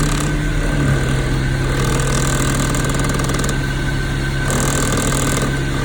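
Steady idle with a fast, faint ticking riding over a slightly uneven low drone; clicking and shake present, cause not yet clear.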